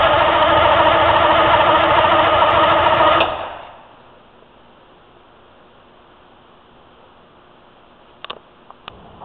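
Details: 04 Ford F-350 with Detroit 6V53 two-stroke diesel and Allison MT-653, first start after rebuilt blower install (old blower's end-plate oil seals leaked): even, busy clatter for about three seconds, clean shutdown, no misfire, knock or runaway.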